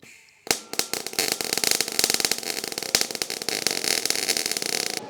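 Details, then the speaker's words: MIG welding exhaust pipe, possibly with flux-core wire: with voltage set too low the arc pops and sputters in irregular sharp bursts instead of a steady crackle, leaving a weld like a bunch of BBs; the fix is turning the voltage up. "you can hear the sputtering and you can really see it in the weld like a bunch of BB's"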